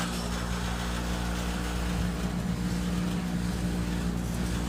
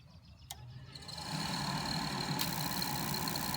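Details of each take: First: Carrier gas pack with a bad inducer fan, running at startup: loud deep hum with a fast uneven rattle of about three or four beats a second shaking the whole unit, heard badly inside the house; the inducer wheel is out of balance. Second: Carrier furnace inducer motor after inducer assembly replacement, started by jumping red and white thermostat wires, no gas: spins up and settles into a smooth even hum, much quieter, no longer rattling the unit; normal operation.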